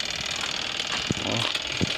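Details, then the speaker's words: Old washing machine repaired and running again with its lid missing; it is running before its main power switch is fitted. Continuous whirring hum with a couple of dull handling thumps as the motor turns steadily and runs normally. "Narinig nyo ba yung tunog na yan guys? Wala pang power pero umaandar na."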